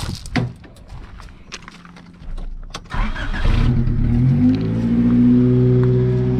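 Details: 1986 Honda Civic carbureted engine, cold with choke working: cranks, catches and settles into a high cold idle with a slightly uneven pulse; broken vacuum lines found, possible vacuum leak being checked with ether.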